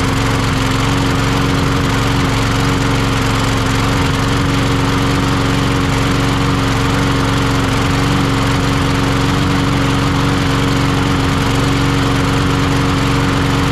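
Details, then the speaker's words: Troy-Bilt (MTD) push mower that wouldn't start, after carburetor work: the small engine runs with an uneven, lumpy beat and wavering speed, rough running blamed on a faulty carburetor, which is to be swapped for another. "still not running quite right with that carburetor on it for some reason I think what I'm gonna do I think I've got another one over here"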